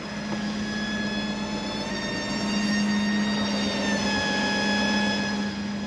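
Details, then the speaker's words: 36-year-old Toyota Land Cruiser 60 Series idling on seven fresh gallons: a steady high whine of constant pitch from a loud fuel pump; the owner suspects debris or the pump fighting for suction. "yeah I either got Junk in there or it's fighting for suction"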